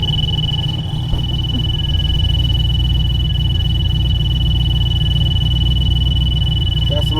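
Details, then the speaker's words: Black C10 LS swap at first fire-up after fresh fuel and new injectors, still needing tuning: a heavy low idle drone with a thin constant alarm tone on top; the cam-type drone's source is unclear and remains to be checked. "It sits in idles and fires up. Got the cam droning thing going on too. We're gonna have to look into that."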